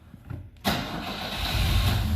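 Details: Engine after several gas-pedal pumps, clutch now working full stroke: starter churns it steadily over but it never catches; cranks but won't start. Cause suspected, not confirmed.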